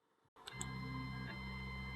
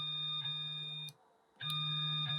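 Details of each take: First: Elegoo Neptune 2S 3D printer Z-axis stepper motor, feed rate lowered from Z3 to Z2.5 and Z2.55 via Pronterface to cut noise: quiet steady electric hum whose pitch changes with the slower feed rate. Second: Elegoo Neptune 2S 3D printer Z-axis stepper after tuning driver voltage to 0.54 V, homing and moving Z up and down: clean, steady high-pitched hum that stops and resumes smoothly, no clicks or skipped steps; works fine.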